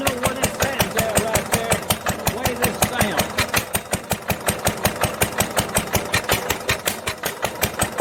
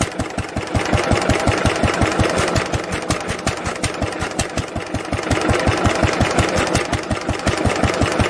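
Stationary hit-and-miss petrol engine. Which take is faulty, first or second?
first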